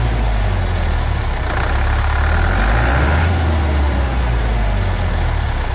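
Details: 1991 Chevrolet D20 with rebuilt Maxion S4T Plus diesel, just reassembled with tank cleaned: steady even clatter at settled idle, no misses or knocks; sounds healthy.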